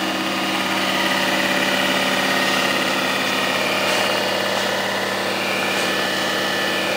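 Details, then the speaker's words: Rong Fu RF-31 belt-drive mill drill with adjustable pulleys, running in forward: very quiet, steady even motor hum with smooth belt whir, no knocks, rubbing or grinding; chipped motor fins don't affect operation; normal motor running. "we're gonna fire it up so you can watch it run we're gonna put it in the forward position there runs very quiet slide this"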